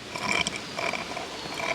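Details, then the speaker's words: New Roundhouse Katie 0-6-0 live steam garden railway locomotive, first run on track in mid gear: soft irregular bubbly gurgling, no knocking, runs freely; normal. "some gurgling. It's mid gear, so presumably there's no um piston kind of pressure uh issue with that."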